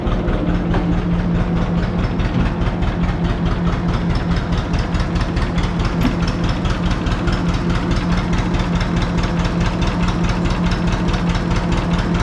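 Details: John Deere 530 old two-cylinder tractor idling in winter, not run since hay-wagon use after a no-start with a shot battery; slow, even putt-putt with steady low thump, no knocks: healthy normal idle.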